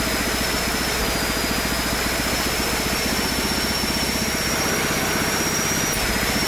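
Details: Small single-cylinder engine on a Mikuni carburetor and a temporary 3D-printed PETG intake manifold: fast, fairly even chugging beat with a faint high whine on top, no misses; runs smoothly, with a slight low-end velocity issue.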